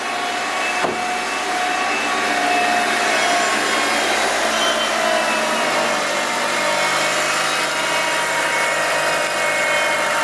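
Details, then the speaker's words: Mitsubishi Evo 9 MR turbo four just after Injen intake install and oil change, first start: settles into a steady even run with smooth revs and mild intake hiss, still quiet without hard throttle; healthy. "Sounds good. Still pretty quiet. think you have to really give it the beans to get that induction noise."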